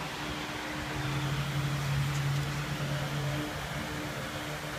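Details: 2007 VW Jetta petrol engine idling unevenly, a low hum that wavers and stumbles, stalls too; codes P2279, P050A, P2231, P0171 and P0300; air leak from a torn PCV diaphragm in the valve cover.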